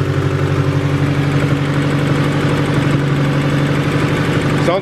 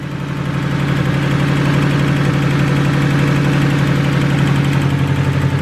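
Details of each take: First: $500 Honda Del Sol, interference engine, first start after reassembly, hasn't run in a while: steady, even idle, smooth low hum, no knocks or ticks; normal idle. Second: $500 Honda Del Sol, first start, cold and not run in a while; low steady idle with a fast regular ticking puff about four a second, which the owner suspects is an exhaust leak at the header; exhaust manifold leak.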